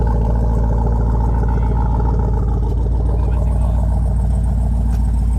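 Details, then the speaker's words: Jeep Grand Wagoneer V8 with aftermarket exhaust, revved at a dealership: deep, loud rumble with an even, throaty pulse and no knocks or misfires. Normal revving, healthy engine. "Right, so listen to this thing. So did he put exhaust on it? Yes. Oh gosh."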